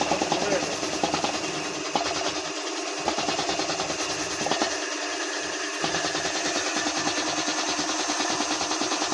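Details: Garage air compressor after repair, refilled with one litre of engine oil and spring oiled: quick steady pumping chatter at an even pace, no knocking or grinding; the earlier loud noise and crank problem from lack of oil are gone.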